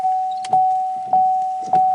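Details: 2016 GMC Sierra after replacing the underhood X50A fuse box PCB wiper relay, battery reconnected: quick regular wiper sweeps about every 0.6 seconds with a soft thump at each reversal under a steady chime; high-speed wipers now work normally.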